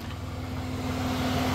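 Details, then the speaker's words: 1990 Dodge Grand Caravan LE after cooling system repair, engine warmed up; radiator fans kick on with a steady whooshing rush and even hum, then cycle off; normal radiator fan operation. "you think the rad fans would have kicked on though but it's going down charging looks good everything looks good only light on is the door jar light there it goes mhm fact I think the fans are on now like I hear it yep hear"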